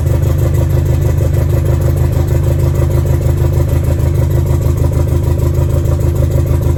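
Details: B5A4 engine first start on newly installed standalone ECU, untuned, after setting reversed firing order to work around suspected mis-pinned harness; deep even low pulse with no misses, running cleanly on all cylinders.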